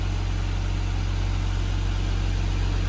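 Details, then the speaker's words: Nissan R34 Skyline idling after clutch fan removal and new e-fan install, warming toward 180–185°F while bleeding coolant; much quieter than the loud clutch fan, steady low hum and smooth exhaust note, no knocks; normal healthy idle. "But it's already a lot quieter without the clutch fan. The clutch fan was super loud. Now you can hear the exhaust and you can hear the engine."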